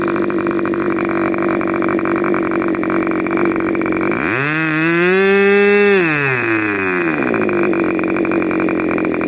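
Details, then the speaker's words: K&B 40 model 4011 glow engine after rebuild (new bearings, ring, gaskets, hand-honed cylinder), 10% nitro fuel with added castor, 10x6 prop: high steady buzz climbing smoothly in pitch, holding, dropping back evenly with no misses; normal running. "it's you know looks pretty respectable to me"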